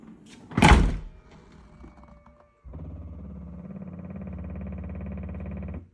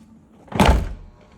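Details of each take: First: 2015 Audi Q7 tailgate shows open on dash when closed: after it thuds shut, the loose latch motor assembly keeps whirring with fast ratcheting clicks, likely an internal gear skipping; suspected faulty internal limit switch. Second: 2015 Audi Q7 tailgate closing after latch repair: a single solid thunk with no clicking afterward; latch catches cleanly and the dashboard open indicator is now off.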